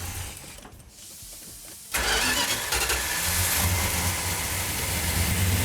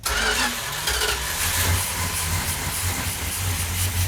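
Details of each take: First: 340 V8 Plymouth Duster (A-body) on first start after restoration, choke held, no primer fuel: catches at two seconds and settles into a strong, steady, even run with no misses; sounds healthy. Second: Plymouth 340 V8 Duster cranking over with no primer fuel, a steady rough churn that doesn't catch yet. Afterwards, with the choke held and timing advanced, it started and sounded healthy.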